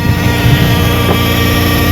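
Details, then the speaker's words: 62TE automatic transmission, 300,000 miles, codes P1790 and P0944, won't pull: steady low drone with faint constant whine over idle at startup; suspected front pump failure with debris in the transmission, unconfirmed. "Whoa! Whoa! Y'all hear that? Let me go out here. Uh-oh. Yep, like I say, I can almost guarantee you she have a front pump failure and a lot of trash in her pants."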